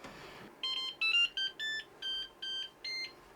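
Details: Used Flashforge 5M Pro 3D printer after swapping faulty tool head board (which falsely read 230°) for a new one; quick string of about eight short high beeps at power-on, no hot end fan, reads 19°; normal power-on.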